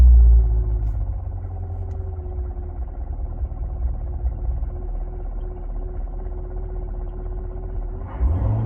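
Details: Chevrolet Corvette C7: steady low engine rumble with a faint constant whine riding above it; odd engine noise, cause unidentified.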